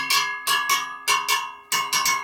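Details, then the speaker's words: 1972 Harley-Davidson Sportster XL wheel during lacing and truing, spokes tapped by ear: crisp, high bell-like pings in pairs, each ringing clear; spokes sound fairly tight and may need loosening so the rim can move over. "see these feel these sound fairly tight so you might have to loosen those up a little bit to allow this to move over here"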